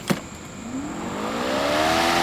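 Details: EGO electric lawn mower with yellow-light fault at startup, handle clamps unlocked and slid rapidly to get the blade moving: a clean whine climbs steadily in pitch as the motor spins the blade up. The issue is suspected to be somewhere in the blade assembly.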